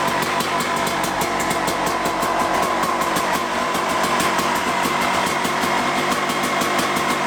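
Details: Suzuki RM250 two-stroke dirt bike after repacking the exhaust silencer, first start on the channel: crisp, even popping at about five beats a second, steady rhythm, no misses; idles cleanly.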